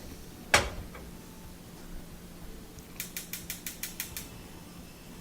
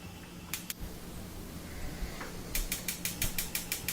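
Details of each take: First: Wolf gas range burner after cleaning corrosion, dirt and grease off the burner head parts (previously kept clicking after lighting): one sharp click, about eight igniter ticks, then quiet as burner lights and sparking stops. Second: Wolf gas range burner igniter clicking nonstop, sharp ticks about six a second, after the burner lights; caused by accumulated corrosion, dirt or grease on the burner base, cleaned with a wire brush, no parts needed.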